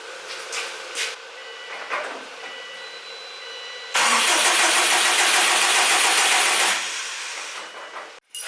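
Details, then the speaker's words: Subaru STI after winter storage, cranked with 15 A fuse pulled so it won't start, to prime oil: about three seconds of steady starter whirring with no firing. "once that's pulled you're good to go here so just this guy right here it's a 15 amp fuse once you pull that it won't actually turn over and you can prime your oil"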